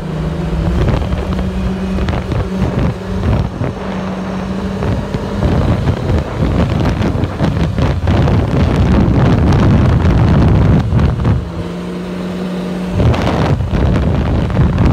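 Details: Vehicle with a new belt: a loud, steady low whine rising over the engine when slowing on the engine brake, attributed to the clutch and not heard before. Cause suspected, not confirmed.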